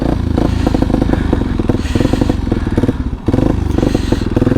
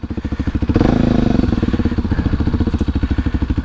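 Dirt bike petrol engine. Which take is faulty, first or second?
first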